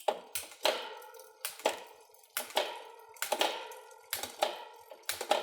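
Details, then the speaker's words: Bicycle rear derailleur after barrel adjuster cable-tension tuning: sharp clean clicks under a second apart as the chain drops onto each cassette cog, no grinding or chatter; crisp shifting, well adjusted. "and you can see that's snapping into the gears really nicely no noise on the cogs so we know we've got a well adjusted re"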